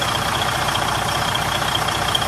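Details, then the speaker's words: Used semi truck tractor inspection; steady even diesel idle with smooth low pulse, no knocks or rattles, no oil or coolant leaks; normal idle. "everything seems to be working with no problems on the engine there is no leaks there is no coolant leaks everything is alright"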